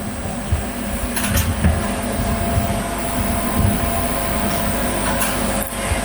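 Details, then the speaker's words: Portable air-conditioning unit run in a van from a 460Ah lithium battery, after 15–20 minutes running: steady low hum with a thin hiss and a cricket-like chirping rattle. The compressor is very noisy and the air is no colder than a fan. "It's been running for about 15 or 20 minutes and it doesn't feel any colder than a fan. It's also noisy as anything. It sounds like there's a blooming nest of crickets underneath it because the compressor's noisy as anything passes the thing."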